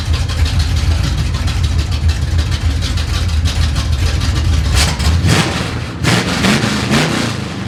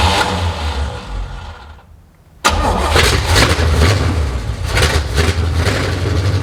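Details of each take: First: 1970 Chevy C10 parked 10 years, after mixture screw and idle adjustment: steady, even low rumble at idle, then a short throttle blip that settles cleanly; normal idle. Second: 1970 Chevy C10 parked 10 years, new rubber fuel lines and filter, carb primed: cranks, goes quiet, catches briefly on primer without settling into idle; carburettor float bowls not yet filled.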